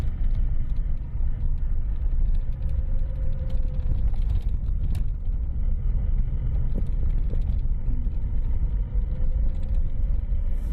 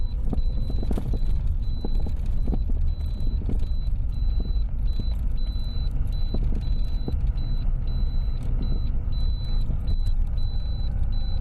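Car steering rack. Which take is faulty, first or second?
second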